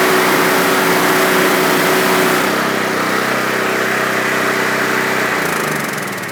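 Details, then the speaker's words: Underperforming pressure washer pump, still about 1,000 psi low even with a new number 4 nozzle: small engine's steady buzz sags and bogs when the trigger is pulled; little bypass noticed. "We didn't really notice much bypass there, but we could hear the engine when we first pulled the trigger kind of bogging down."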